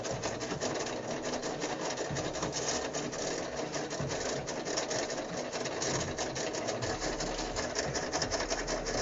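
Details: GE washer WLSR3000GWW: steady, rapid rasping buzz from the timer; the washer would randomly stop until struck; owner suspects the timer is failing.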